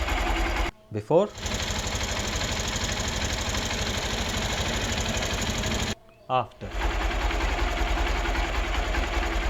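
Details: Hero Xpulse 200 idling after the final valve clearance adjustment (intake 0.06 mm, exhaust 0.102 mm), done to tackle excessive valvetrain noise: a fast, light sewing-machine ticking is still present, possibly from rocker play. Valve train ticking.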